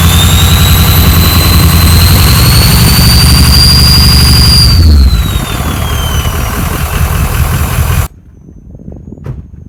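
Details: Ford F-350 diesel farm truck after a bad injector and wire were fixed and an extra muffler cut out: loud deep diesel rumble with high turbo whistle rising then dropping as revs fall; normal start and idle with turbo whistle.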